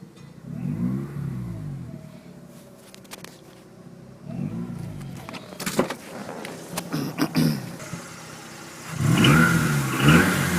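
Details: Mazda RX-8 rotary engine blipped in quick repeated bursts, a short high chirp at the start of each rev; chirping noise from the engine bay.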